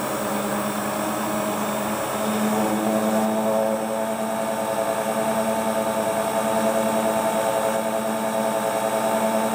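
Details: Hotpoint Ultima WT960 7kg washing machine, after repair with brand new replacement belt, test spin: smooth, steady motor hum holding even pitch, no slipping squeal, thumping or grinding; normal healthy spin.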